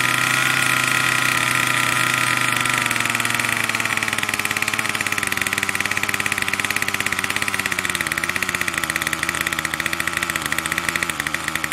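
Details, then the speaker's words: Troy-Bilt TB2MB two-stroke trimmer after a new short block is fitted, primed and choke on: buzzes fast and steady and never settles to a calm idle; the throttle cable never returns fully to rest. "see that uh never the cable never really gets all the way back to our nice rested position it's always kind of like yeah I never really the same problem"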